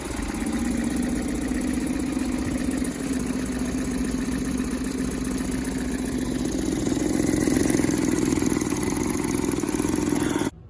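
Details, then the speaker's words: Suzuki 9.9/20 hp outboard after clearing fuel stabilizer from the fuel system runs roughly, uneven clattery beat; still misfiring, right-side spark plug wet but gap fine, owner suspects dirty fuel injectors, cause unconfirmed. "My engine's still misfiring. I see a spark plug on the right side. It's wet."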